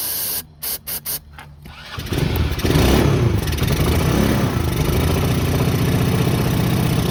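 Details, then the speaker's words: Neglected 2010 Polaris Ranger RZR 170, sat for years, with no fuel coming out of the carburetor: several short cranking bursts, then it catches and putters steadily for seconds only on sprayed carb cleaner. Runs a bit funny with the airbox off, smoking with an old-fuel smell. "I'm going check if there's fuel coming out of the carburetor just nothing I'm going to spray a little bit of carb cleaner on it"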